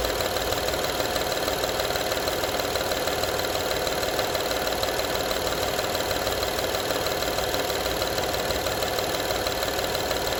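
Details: 2012 Honda Odyssey engine at quiet, even idle: steady fast tinny rattle, roughly three per second; engine rattle at idle, source not obvious.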